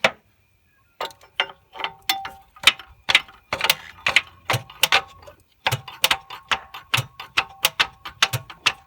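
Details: Holden VT Commodore that won't start: sharp, uneven clicks, about two a second, with no cranking while the starter at the transmission is struck with a hammer; a bad starter motor is suspected.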